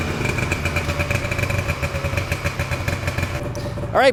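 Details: 1979 Ski-Doo Everest 444 liquid-cooled two-stroke snowmobile, first start in 3 years on fresh gas: busy, even burble holding steady with a faint high tone, firing on both and running fine. Normal two-stroke running.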